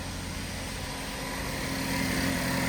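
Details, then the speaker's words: 2013 Chevrolet Captiva 2.4 Ecotec, first start after timing chain replacement: smooth, even idle with steady low hum, no ticking, rattle or chain slap; normal idle. "let's give it a start and see how she sounds good old captiva sounds amazing"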